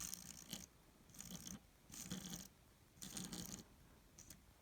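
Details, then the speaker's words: Atlas N scale 0-6-0 tank locomotive, made in Austria, as voltage is slowly increased: bursts of gritty, uneven crunching as the small motor runs; the wheels are dirty and it needs a good cleaning. "so it definitely needs a good cleaning but I think I can get it to go so let's clean it up"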